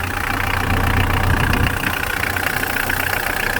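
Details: Mitsubishi L200 turbo diesel, just started and not yet warmed up, after fitting a new variable geometry solenoid for an overboost issue. The geometry lever returns to its stop screw as it should. Even diesel clatter at a settled idle with no knocks. Normal idle.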